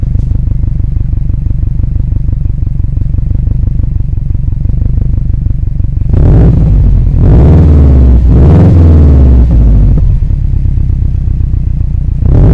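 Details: Car running after an exhaust leak fix, stock apart from mentioned upgrades, exhaust not yet complete: steady deep idle pulsing then strong even revs, no puffing or ticking; exhaust sounds sealed, normal running.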